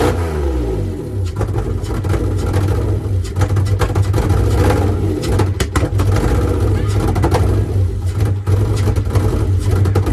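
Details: Mitsubishi 3000GT SL V6 project car: lumpy, uneven exhaust note under revving with dips and stumbles; not running on all six cylinders, two coil packs suspected.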